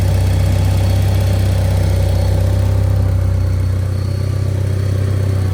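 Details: Eclipse running again after engine failure, first drive in 6 years, 5°F cold start: steady, even low idle with smooth beat, no knocks or ticks; runs well though temperature creeps up at idle and alternator bracket bolt has slipped.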